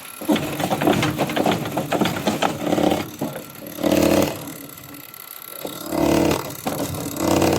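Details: Hyundai Grand Starex with hard starting, low power and white smoke; the injector is bench-tested after an injector washer was found to be the problem. Sharp, crisp, even hissing bursts come about every two seconds over quiet pauses, and the injector sprays normally.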